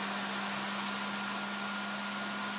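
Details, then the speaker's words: 3D-printed Open RC F1 car electronics first power-up after binding transmitter and receiver: steady high-pitched whir with hiss, the small cooling fan spinning unusually fast, which the builder finds a little worrisome. "the fan spins pretty pretty fast which is little worrisome we'll see how that goes but"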